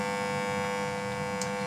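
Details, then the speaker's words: Cassette tape deck fitted with an MP3 Bluetooth module: a steady electrical buzz with a strong mid-pitched tone from the speaker with no music playing, especially in Bluetooth mode. "ada suara bising, khususnya saat dalam mode Bluetooth, kan, teman-teman."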